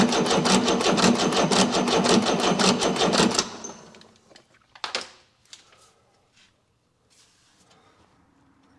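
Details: Chrysler (Mitsubishi 6DS70) six-cylinder marine diesel, stored for years in a barn: steady rapid cranking that never catches; injectors not bled, fuel barely at number five and none at six.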